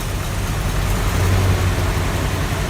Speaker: Okay, choke's out now, we should get a bit of life. Running on about 2 cylinders.